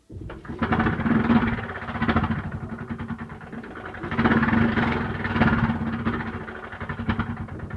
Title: Lg washer noisy on start up